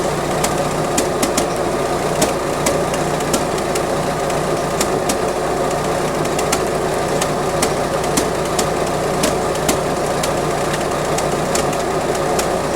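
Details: Iron Duke 2.5L four-cylinder at idle: uneven beat with occasional dropped, stumbling pulses; slight ignition miss seen on plug wires 2–4 despite new module and rotor, with old wires and a mid-1980s distributor cap.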